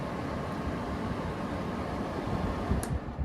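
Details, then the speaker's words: 2012 Frigidaire 5,000 BTU window air conditioner on high fan, compressor off: steady soft air rush with a low even hum, no rattles or squeals, quieter than a GE unit; normal fan operation. "High fan. It's definitely a lot quieter than my GE."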